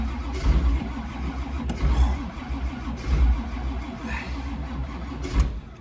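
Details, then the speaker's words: 1985 Camaro Z28 cold start at about two degrees: long heavy cranking with a few low coughs that never catch, then it bogs again. The engine is flooding. "there's a breath of life they're flooding the crap out of it now"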